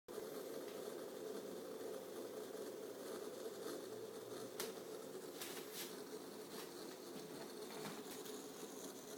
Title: Strange Noises from the MCP655 Pump - while bleeding